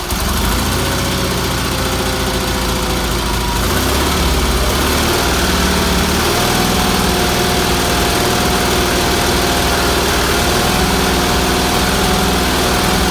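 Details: Red Roper engine after new fuel filter, fuel line, pulse line, wiring and exhaust, some tuning done; weak fuel pump suspected earlier: steady, even twin-cylinder putter holding speed without misses or surges; runs good.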